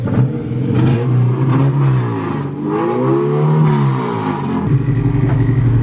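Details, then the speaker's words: Car with a newly fitted distributor, running on fresh fuel. Revs climb then sag unevenly under throttle, with the pull dropping out and surging back as it cuts out; a dirty fuel filter is suspected, cause unconfirmed. "still cutting out like crazy I think so yeah yeah yeah yeah yeah yeah yeah maybe you got to clean his fuel filter or something"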